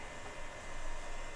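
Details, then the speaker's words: Early Compaq Presario desktop (Windows 2000/ME era) with no activity on startup, power supply test-connected to motherboard only, no hard drive: soft, steady airy whir, no ticking, rubbing or speed wobble; power supply fan running normally. "the Fan's running strong it sounds good the Fan's running on this I can feel it"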